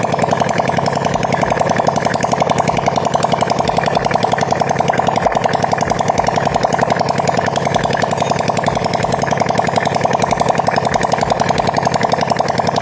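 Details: Supra Fit motorcycle after repair for white smoke, exhaust installed: quick, even popping beat with steady pitch, no knocks or rattles; smooth healthy idle, smoke gone.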